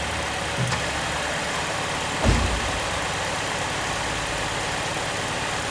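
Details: Running during diagnosis of code P0203-00 (fuel pump driver circuit not matching desired 2.5 V output; ground G101 under coolant bottle a possible cause): steady, even low idle holding constant speed, no misses, knocks or hunting; normal idle.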